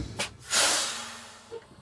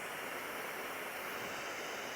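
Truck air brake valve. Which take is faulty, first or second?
second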